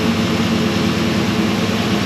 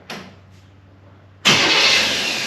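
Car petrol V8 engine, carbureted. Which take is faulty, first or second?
second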